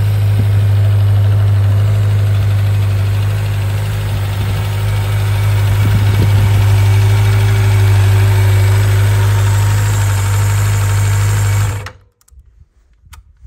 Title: 1995 Suzuki GSX600F Katana synchronised after valve adjustment